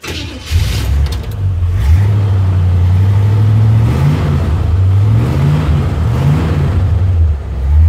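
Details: Worn 1957 Chevy convertible V8 with over 250,000 miles, after an exhaust manifold leak repair: it fires up and revs smoothly in clean throttle blips, with a deep even exhaust note and the earlier idle clack-clack gone.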